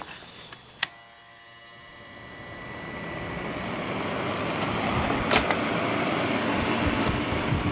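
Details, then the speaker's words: Small two-pole shaded-pole induction motor fan on a cheap modified sine wave inverter starts with a switch click and runs with a rough, raspy buzz unlike a normal 60 Hz hum. "you can probably hear that that buzzing doesn't sound right if you're used to what a 60 HZ hum is uh that sounds different"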